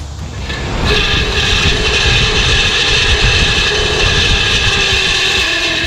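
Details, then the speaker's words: 1970 Chevrolet C10 A/C blower motor, removed and jumped directly from the battery: raspy, gritty whine and rattly rumble that stays steady while running; worn blower motor bearings, replaced with a new motor. "so while it's working the bearings are gone in this thing"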